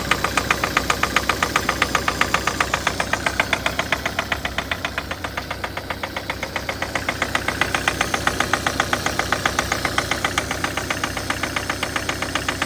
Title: Стук дизеля